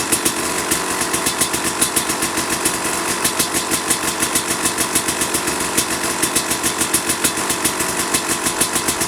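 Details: 2005 Kawasaki KX250 two-stroke, first fire-up after rebuild for low compression (piston shot, plating questionable, crank play): crisp even popping at steady idle with clean consistent firing; running healthy.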